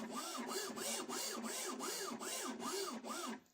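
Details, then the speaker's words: Sovol SV06 3D printer after replacing failed linear bearings with Igus Drylin RJ4JP-01-08 slides, stepper reconnected: soft rising-and-falling motor tones about twice a second as the axis moves back and forth; normal stepper motor noise. "Okay, you always going to have some stepper motor noise. That's kind of unavoidable unless there's an upgrade for the motor as well."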